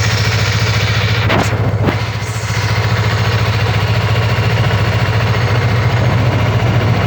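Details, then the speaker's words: Yamaha MT-03 twin-cylinder engine just after a cold start: steady, even thrum at cold idle with a couple of light throttle blips, nothing rattling or knocking; normal healthy engine sound. "Dois cilindros, acabamos de dar uma partida com ele frio, entendeu? O motor tá frio ainda,"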